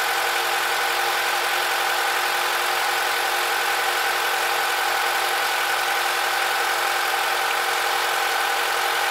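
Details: Honda K20Z2 engine at idle: a light, somewhat uneven tick about four times a second over the engine hum; an abnormal extra noise, source unclear.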